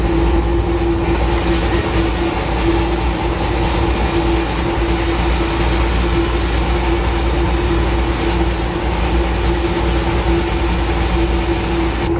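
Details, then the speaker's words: 2002 Craftsman air compressor model 919.167310, about 2,000 hours of hard daily use, running at about 61 °F: loud, steady roar with a harsh gritty grind and constant hum; the dry front motor bearing is failing catastrophically. "one PSN sounds like my compressor is ready to grenade that ain't a good thing"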